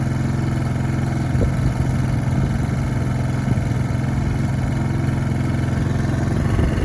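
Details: Cold-started lawnmower, about 10 seconds after start with choke on: steady, slightly lumpy low beat and rich even note while warming up; normal running on choke.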